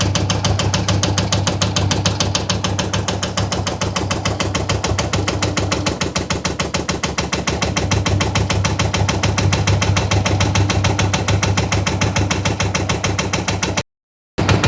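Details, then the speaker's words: Washing machine: heavy, regular thumps about twice a second throughout the run as the drum knocks and wobbles inside; most often caused by worn shock absorbers that hold the drum, from frequent washing and heavy use. "Если вы слышите этот звук в своей стиральной машине, то первый, который представляет собой стук внутри, — это удары внутри самой стиральной машины. В большинстве случаев это износ амортизаторов, расположенных внутри стиральной машины и удерживающих барабан от ударов, то есть от частой стирки и интенсивного использовани"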